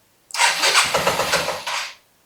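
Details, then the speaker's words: 1984 Yamaha Riva 180 scooter after carb cleaning and reassembly: single-cylinder engine catches for about two seconds with rough uneven buzzing, then dies; still very hard starting but now fires where before it didn't; owner suspects idle speed. "So, still very hard starting, but it does fire. Before it wasn't firing."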